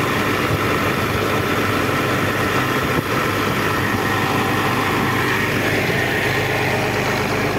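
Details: Old Caterpillar diesel after overheating, radiator topped up with water, overheat light no longer blinking: deep, steady idle with an even, unbroken rumble, no knocks or surges; normal idle.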